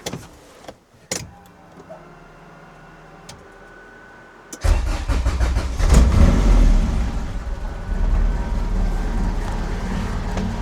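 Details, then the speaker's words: Honda CRX after replacing degraded fuel pressure regulator diaphragm: cranks, catches into uneven idle, then stalls; fuel pressure only 30 PSI (target 45), fuel now in return line; owner plans further regulator adjustment. "All right, started, ran, idled, stalled. We are currently at 30 PSI. We have fuel in the return now, which is great news."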